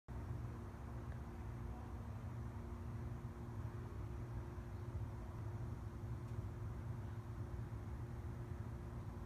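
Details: 2003 Mazda Miata NB after cleaning the IAC valve, EGR valve and upper intake manifold: quiet even idle with steady low hum, no stumbles or surging; previous rough idle fixed.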